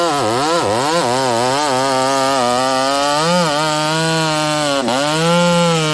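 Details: Ported Homelite 922 chainsaw after clutch and fuel line repair and cooler heat-range plug, cutting very hard wood: high, clean two-stroke scream dipping as the chain bites and recovering smoothly; normal cutting under load.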